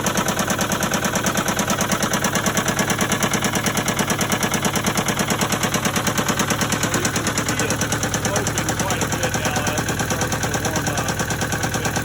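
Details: Case 188 four-cylinder diesel tractor, smoking, started with new oil pressure and temperature gauges: loud chug with a steady lopsided beat about three times a second; number one cylinder appears not to be firing at all.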